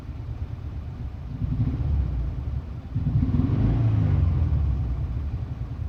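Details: 2001 Subaru Impreza L, 2.2L EJ22E, manual, 155k miles: low, lumpy exhaust rumble stumbling as revs rise and fall. Cylinders 1 and 3 misfire because a valve stem guide dropped into the cylinder and held the exhaust valve open; new plugs, wires, coil pack and fuel filter didn't fix it.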